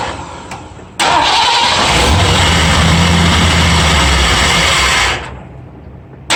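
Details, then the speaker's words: Ford F-100 351W V8, first start on a replacement carburetor with the idle screw set very low: catches, runs loud and uneven, then dies; owner suspects a big air leak or idle set too low, carb ports plugged; suspected vacuum leak. "oh sure sounded like a big air leak in it somewhere uh everything on the carburetor was plugged off could be that uh i just don't have the the idle set high enough"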